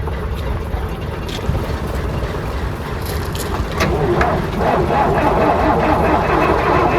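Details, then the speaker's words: Class 117 DMU 51412 diesel engines, first start in 5 years after bleeding air from the fuel with the hand lift pump: low, even rumble at about 500 rpm idle with some clatter, no misfire or knock; healthy. "Check. They're both idling. >> Okay. Now, what the idling at? >> They're idling at about 500."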